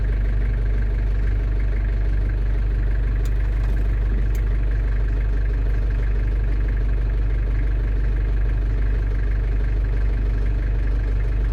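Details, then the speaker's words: London Taxi diesel automatic idling warm after gearbox gasket and fluid renewal, selector held about 10 seconds in each gear while bleeding; faint soft clicks, slight rock as each gear engages, no harsh clunk; normal gear engagement. "when you pull it down into gear, obviously you'll feel a slight rock or an indent as they call it, so that means the gearbox has selected that gear."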